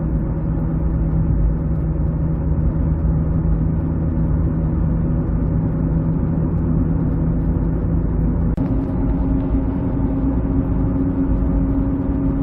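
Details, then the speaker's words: 2006 Ford Escape Hybrid while driving in 5–6 degree weather: a steady low front hum under the road rumble rises in pitch with speed; the owner suspects tires, wheel bearing, rotor, pads or the electric motor, and ice is ruled out after about 70 miles. "you can hear it humming pretty good now of course it's like five or six degrees out so i was thinking maybe it had something to do with maybe i got some ice somewhere under there"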